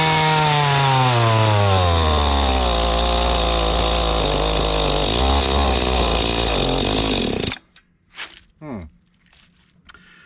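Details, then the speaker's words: Mantis tiller small two-stroke, estate sale condition unknown, choke on and full throttle then choke off: screams high, revs sag and stumble, then cuts out; rough running and stalling, owner suspects dirty or unadjusted carburetor. "I had the choke on and full throttle. Oh. Oh. I took the choke off, didn't like that."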